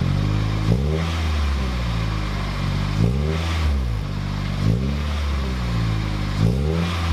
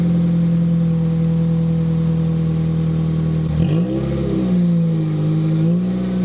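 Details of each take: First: 2007 Toyota Corolla LE, cold engine, TRD sport muffler (PTR0302061) just installed: deep smooth exhaust rumble rising and falling with repeated short throttle blips; healthy engine. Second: 2007 Toyota Corolla LE with muffler removed before fitting TRD muffler: loud raw droning idle, steady low tone, no revving, siren sweeping through; surprisingly sounds good with no muffler.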